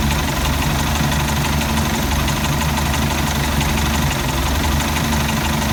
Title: Mercruiser 3.0 rough idle